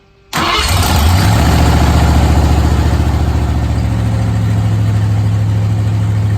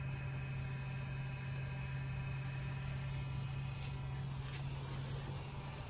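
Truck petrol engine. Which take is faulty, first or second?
first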